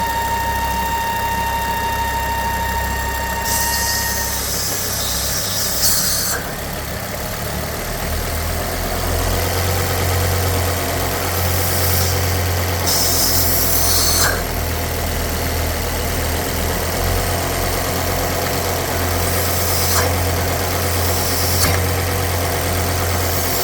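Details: Ford S-Max 2.5T (Volvo turbo petrol) at idle: steady high whine with strong negative crankcase pressure, caused by a failed diaphragm in the oil filter housing.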